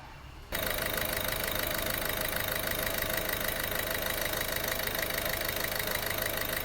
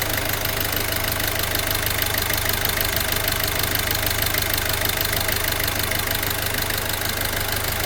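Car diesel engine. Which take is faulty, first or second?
second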